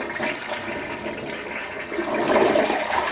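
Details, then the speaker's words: Toilet sharing a common stack with the flat below, slow to drain, flushed after a cleaner treatment; a weak, gurgling flush that swells late and the water level sinks, suggesting a partial blockage, cause unconfirmed. "wait a second the toilet just flushed what the heck was that"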